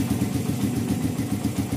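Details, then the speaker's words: 2014 Satria FU bored-up single idling after carb rejet: sharp, regular puffing ticks over the single-cylinder beat. Slight exhaust leak at the header joint of a poorly fitting aftermarket exhaust neck. "Knalpotnya bocor. Bocor sedikit. Kita benerin dulu."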